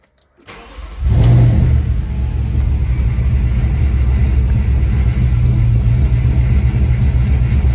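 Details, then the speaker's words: 4.2 V8 all-wheel-drive car with performance exhaust: catches into a loud, lumpy idle with an uneven stumble in the exhaust beat from a misfire on cylinder one. "you can hear the misfire it's on cylinder one so yeah"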